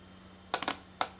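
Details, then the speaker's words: Mazda B2000/B2200/B2600 vacuum solenoid bench-tested with battery test wires after sanding corroded terminals: crisp, sharp click each time power connects, no buzzing or chatter; solenoid functioning normally. "take your positive wire connect it to the other terminal and now we should be able to hear a click there we go"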